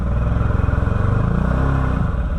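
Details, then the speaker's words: 2013 Can-Am Maverick 1000R UTV, 1000cc, check engine light on, run through low, high and reverse: revs climb into a deep pulsing drone but the drive doesn't pull; CVT drive belt slipping badly, cause unknown. "Yeah, that that belt's definitely slipping bad."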